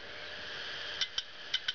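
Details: Western Digital 80 GB IDE hard drive powered up: sharp paired clicks over a faint spinning whir as it spins up and down; click of death from heads failing to calibrate.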